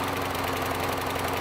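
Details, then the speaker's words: Small single-cylinder mower engine running rough, strained and uneven at idle; owner says it will run better once it burns off oil, but it smokes heavily the longer it runs and oil is leaking and dripping down the front. "oh no America is struggling people it's struggling it will actually once it starts burning some of that oil"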